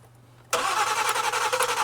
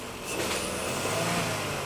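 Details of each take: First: 2014 Ford Explorer 3.5 L crank no-start, after dead battery replaced, with fuel pressure, injector pulse and spark present; starter churns at a fast uneven rhythm, engine stumbling as if trying to catch but never firing, from fuel-fouled spark plugs. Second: Ford Explorer 3.5 L, after a crank no-start was fixed by replacing fouled spark plugs, freshly restarted: quick throttle blip picks up cleanly and settles back smoothly with no stumble or misfire.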